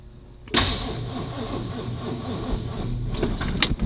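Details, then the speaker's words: Original one-owner 1962 Lincoln Continental, battery charged 10 minutes at 200 A showing 14 V: engine turns over slowly and laboriously with a dragging whir, never catching; owner suspects a fried starter. Slow cranking, no start. "it sounds like it's struggling to turn on"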